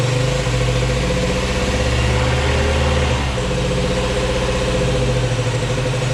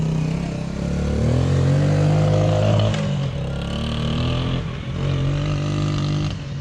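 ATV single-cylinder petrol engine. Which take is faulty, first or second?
first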